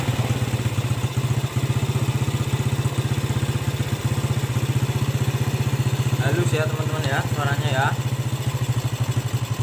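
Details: Yamaha Jupiter Z single-cylinder engine after rebuild to cure rough engine noise, idling: steady even firing about four beats a second, no rattle or roughness — smooth normal idle.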